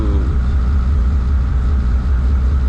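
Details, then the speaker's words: 3.4 stroker 2JZ in a JZX100 on third start after E-throttle idle was turned back down: deep, steady low rumble with no misses, knocks or hunting; idling smooth. "So now it's a little too high. We'll turn it back down and go from there. All right, third time. Idling smooth."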